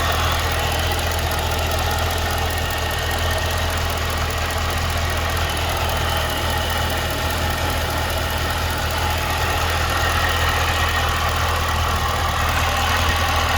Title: 2012 CTS-V Ticking/Knocking Sound